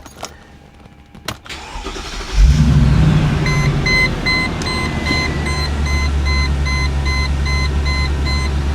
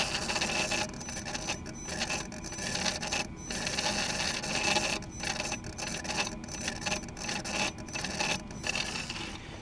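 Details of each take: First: Cheap G-Wagon after the throttle position sensor was located: cranks and catches at about 2.5 seconds, then settles into a steady, even idle with no misses or knocks and no check-engine lights. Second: Mercedes G-Wagon, while forcing a transmission adaptation with scan tool not connecting: rough raspy grinding in irregular bursts with no engine running underneath, from the throttle body, horrible noises.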